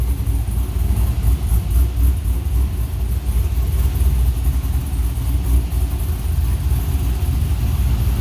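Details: 1980 Chevy K10 LS swap, Summit 150153 crate motor, LS6 intake, Holley Terminator X, 1302 LS1 headers, Flowmaster FlowFX mufflers: deep steady even rumble, no knocks or misses; healthy normal idle.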